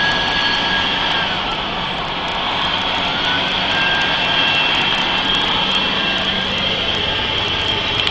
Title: Mercedes benz 3340 Truck Turbo Failure Testing l Turbo Sesi Arızası